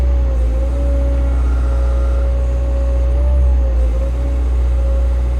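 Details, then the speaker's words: Diesel machine after fuel filter replacement, rail pressure OK (one low rail pressure code logged earlier), revved with boom-up hydraulics stalled: deep steady diesel roar at high revs with constant pump whine, no knocks or misses; normal running under hydraulic load. "We'll rev it up and stall the hydraulics out now. That boom up."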